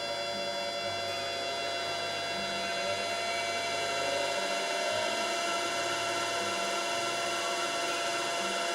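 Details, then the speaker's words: Yaskawa CPCR-MR-152G DC servo drive powering a DC motor as the speed is raised, about 40 V DC at the motor terminals: a smooth, even run with a steady high whine and no knocks or roughness. Normal DC motor run. "I'm gonna Nabal the drive to run look at that let's increase the speed"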